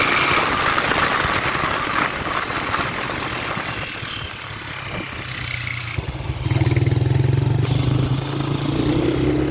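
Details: Honda Titan 125 with pushrod engine: stuttering, uneven revving and idle with brief firing cuts, still misfiring after a new carburetor improved it only partly; cause not yet found.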